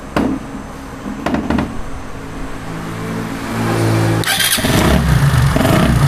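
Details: Motorcycle electric start (self-start) during a starter motor carbon-brush repair: a couple of short starter bursts, then the engine catches and settles into a steady running note; starter cranking and starting normally.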